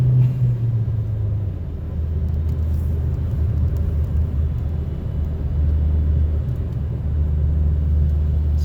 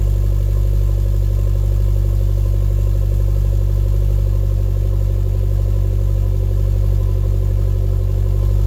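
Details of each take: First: 2012 Chevy Sonic hatchback turbo with a cheap eBay cat-back exhaust, heard in-cabin on the highway at about the speed limit on cruise: deep, even low rumble with no rasp or drone; barely audible, healthy exhaust. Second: 2012 Chevy Sonic hatchback turbo, cold start with new eBay cat-back exhaust: steady idle with a rhythmic puffing tick from an exhaust leak at a joint that was hard to tighten.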